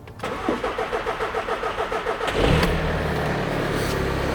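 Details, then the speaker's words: 2.0L TDI (Golf/Audi A3) diesel after installing a 2200 bar rail pressure sensor, before flashing the Stage 2.5 tune: steady cranking about two seconds, then catches and settles into an even idle; starts fine. "but we got there. we got there."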